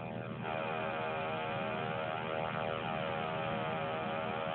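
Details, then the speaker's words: FM radio tuned between stations: a loud siren-like tone sweeping up and down in pitch over steady hiss, found at eight places on the dial and intermittent; source of the interference unknown. "This is the strange noise that I found um while trying to um look for a radio station. It's in eight different places and it's not always on."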